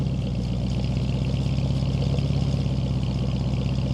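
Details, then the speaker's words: 1947 Ford F100 short bed pickup with flathead V8, true dual exhaust and cherry bomb mufflers, just started: steady, even low burble at idle with smooth dual-exhaust rumble, no knocks or misses; normal healthy idle. "runs true dual exhaust with cherry bomb mufflers, classic flathead tone, and clean presentation."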